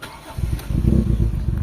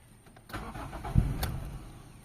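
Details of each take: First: Toyota Corolla GLI with 4A-FE engine, low power and stalling, jerks when shifting into gear: uneven stumbling low thumps as the engine shakes, a lean misfire from a clogged fuel pump filter. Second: Toyota Corolla GLI with 4A-FE engine, previously low power, stalling and bucking when shifting: after a new fuel pump is fitted, short crank, pause, second crank catches and settles into a steady idle; normal start.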